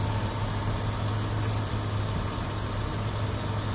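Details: 2004 Chevrolet Avalanche 4x4 V8 idling with hood open after water pump and hose replacement, coolant holding with no leaks seen; steady low hum, smooth and even with no ticks, squeals or misses; normal idle after repair.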